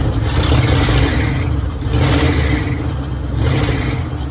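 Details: 1966 Mercury Monterey big-block Ford V8 after a fuel leak fix; heavy low rumble, even beat with gentle surge about every 1.5 seconds, "running like a top"; normal idle.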